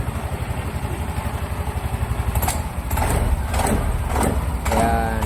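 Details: Mio i 125 scooter idling with a steady low putter, no knock or rattle, a few handling clicks, after replacing the shattered cam bearing (racing part) that caused excessive engine noise; now running normally.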